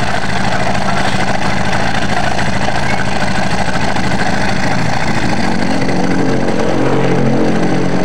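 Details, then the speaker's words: Yamaha Mio scooter engine idling after an oil change: coarse, uneven clatter, only slightly smoother; clogged oil filter starved oil circulation, leaving piston and cylinder scored, so head and block must be rebuilt. "tapi untuk suaranya pasti akan tetap kasar ya Tapi agak mending sedikit halus Kalau mau halus ee seperti standar atau normalnya Kita harus melakukan pembongkaran di bagian Silinder Kop sama blok ya guys ya karena wajib ini untuk pistonnya sudah mengalami lecet atau baret ya guys ya"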